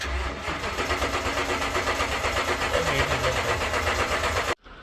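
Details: 2012 Toyota Tundra no-start: starter cranks evenly at about four turns a second for over four seconds with no firing; fuel pump ECU not powering the pump.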